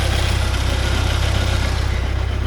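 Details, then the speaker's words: 1979 Porsche 924 at idle: heavy low throb with a faint dry whirring on top, plus snap-crackle from the fan area; owner believes the alternator is making the noise and plans to replace it. "Anyway, I do believe that that's the alternator making that noise. So I think it's time to order an alternator for it."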